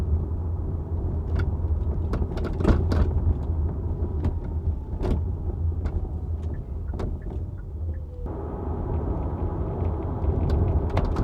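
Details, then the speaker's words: Hyundai Ioniq 5 driving over bumps, microphone in the trunk beside the rear hatch: sharp irregular clattering bursts over road rumble from a rattling hatch, exaggerated on the recording, barely heard on smooth roads; covered by recalls and a TSB. "wow this rattling sounds extra horrible on the recording just to remember the microphone is in the trunk of the car right now sitting right next to the hatch"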